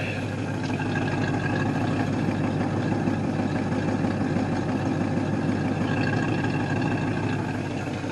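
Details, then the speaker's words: V8 in a 1968 Ford Mustang coupe, off the road for 15 years, idling in gear after the mixture was set and the idle raised; low, steady burble with even pulses and no stumbling or hunting, idle properly set. "yeah i think we're sitting right where we need to sit"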